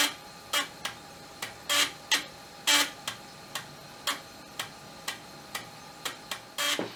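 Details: Amiga 1200 floppy drive whose seized motor was just freed, moving the head back to track one at power-on. Uneven sharp clicks and short buzzes as the head steps and the motor spins; the drive now seeks and runs normally.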